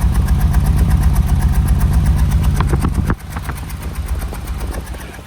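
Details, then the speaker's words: Car engine with suspected blown head gasket, after head gasket sealer added, idling with some gas and smoke: uneven stumbling pulse about four beats a second; misfire persists, sealer not working. "It's misfiring. Now, according to the, you know, the the bottle and the instructions, uh, it's supposed to seal it already."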